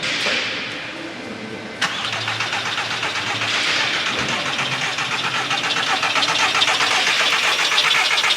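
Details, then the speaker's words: 2003 VW Bora barn find, about 2000 miles from new, long stored, on a jump pack after starter freed: starter turns engine at even cranking rhythm for several seconds but it doesn't start; fuel pump operation unknown. "right well that's good it's turning so you said it would take two cranks to let the fuel through that sounds all right y I suppose we don't know if the fuel pump is working say it sounds healthy enough engine wise there"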